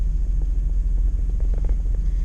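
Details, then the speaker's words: Vehicle after fuel pump, fuel filter, throttle body gasket replacement and EGR valve cleaning for no acceleration: low, lumpy idle surging and sagging unevenly while smoking; rough idle. "Alright, we're running. So while we're just sitting here, we're smoking."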